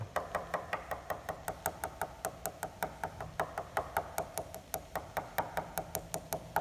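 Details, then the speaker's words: Tap test on a dent in the top surface of a composite glider wing above the main spar at annual inspection: taps turn dull where the outer skin has separated from the foam core; repair requires removing and replacing the skin. "hear that tone change that's the middle of the dent and here big change there and that's where the outer skin of the wing skin is no longer attached to the foam inner"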